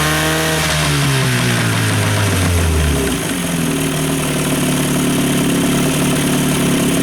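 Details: 2-stroke outboard that previously would not idle, after a full fuel system refresh: carb cleaned, fuel pump replaced, fuel lines flushed, tank cleaned, fresh fuel mix. Revs drop from fast idle to a steady, smooth idle.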